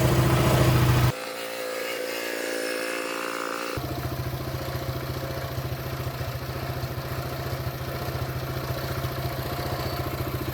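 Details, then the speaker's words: CT200U go-kart/minibike single-cylinder engine with custom-welded exhaust pipe and stage 1 cold air intake: even, steady idle putter with regular firing, no knocks or rattles, fairly quiet; running smoothly, normal idle. "Okay. That sounded pretty good actually. Start up again. Damn, that's pretty good. It's actually pretty quiet, to be honest."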